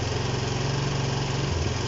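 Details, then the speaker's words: Honda CB125 RS under restoration, kick-started: single putters then falters and slows near stalling, won't rev out or stay running; owner suspects air leak at bottom of head (starting spray stops engine) or fuel starvation. "I don't know if it's getting starved for fuel or what's going on, but it just doesn't want to stay running."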